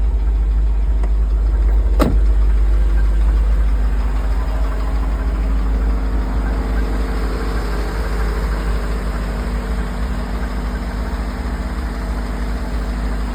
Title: Rod knocking❗️